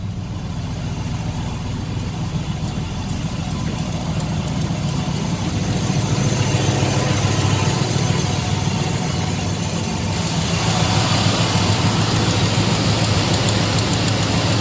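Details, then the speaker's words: 2005 Dodge 1500 pickup, 4.7L V8, high mileage, misfiring with a suspected blown head gasket, idling after codes were cleared: rough idle with a rhythmic puff-tick about three per second; possible exhaust leak, pulleys sound junky. "Sounds like we may have an exhaust leak. Pulleys sound kind of junky."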